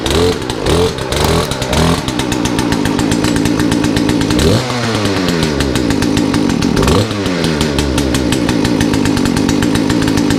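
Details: Poulan chainsaw after a Zama carburetor rebuild kit, new air filter and fuel filter: revs surge up and down and won't settle. Owner suspects the carburetor setting was too low and will recheck the adjustments.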